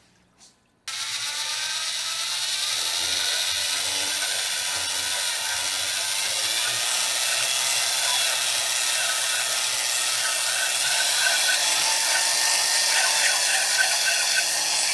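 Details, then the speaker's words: Drill-driven hone in a freshly sleeved cylinder of a rebuilt motor, worked near the bottom of the bore: a steady, light, high scraping chatter with little bite; the hone stones are too loose and barely cutting, so they get tightened. "I don't think I'm cutting much there. Let's tighten her up right there. See what that does. It still ain't real tight."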